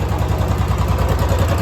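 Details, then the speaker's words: Royal Enfield Classic 350 (BS6) after repair, with loose valve guides addressed and timing adjusted, hydraulic lifters not replaced: steady, quiet single-cylinder idle with no ticking, silent even when throttle is applied; normal idle. "बिल्कुल शांत है, BS6 के हिसाब से बिल्कुल। देखो throttle देने में भी कोई आवाज़ नहीं है।"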